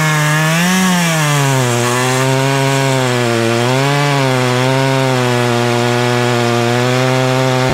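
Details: Poulan Pro two-stroke chainsaw, about 12 years old, after a season clean-up, cutting through a tree quickly. Screams steadily, bogs slightly as the chain bites and recovers cleanly, with a popping sound: sharp chain, healthy engine.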